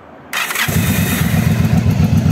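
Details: Warm Yamaha DragStar XVS 1100 V-twin gives a brief harsh clatter while cranking before it catches, with a click on shutdown; the starter one-way clutch is slipping and worn.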